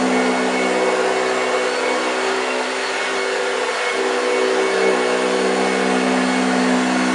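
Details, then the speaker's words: 1965 Hoover Junior 1334A upright vacuum running on carpet. Steady, even motor hum with the brush's low growl on carpet, no rattles or pitch wobble: normal operation. "well there we go my youtubers thanks for watching did you hear the growling wow yes fantastic machine she really performed very well she picked up everything off the floor"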